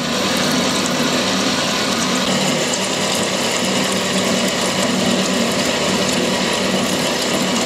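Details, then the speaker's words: Steam locomotive model part being milled with a separate cutter that cuts much smoother: even, steady hiss and whirr through the whole pass with no chatter or squeal; clean, healthy cut. "but this one it's just cutting much smoo you can hear it's cutting really"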